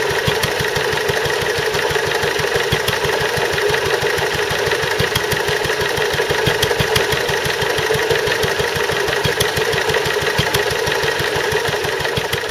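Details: Stuart Turner water pump after replacing the failed big end bearing; steady beat around two per second with a loose, uneven knock on each stroke, noise much reduced, remaining knock unexplained; owner wonders if it is a valve.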